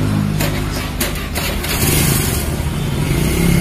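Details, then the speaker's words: Honda Beat injection (ESP) scooter, previously hard to start in the mornings and weak pulling, after fuel pump replacement; fires up at once and revs cleanly, smooth, no stumbling; normal start, no longer hard. "Ya sudah ya bang ahah mantap suaranya halus I halus sekarang Ma udah enggak udah enggak susah bagus ya Bang"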